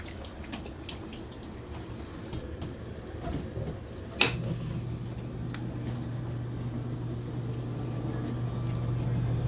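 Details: Frigidaire dishwasher after replacing a defective motor that caused loud noises during operation: water sloshes, then a click and a steady, low, even hum as the pump runs smoothly.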